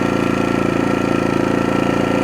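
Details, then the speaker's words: New AIVOLT 4300 inverter generator on gasoline, first run in eco idle, slight smoke, likely assembly lube burning off, not on level ground: steady even low hum, no knocks or surging; pretty quiet, normal running. "but other than that, yeah, it's pretty quiet."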